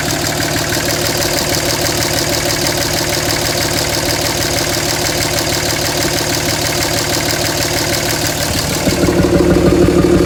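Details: 2007 Dodge Ram 5.9 Cummins diesel, steady idle clatter with uneven pulsing about three beats a second, rising near end; rough for a month. Intermittent fuel rail pressure sensor, MAP sensor and overboost codes (no boost fooler fitted); owner asks about blow-by; cause unconfirmed.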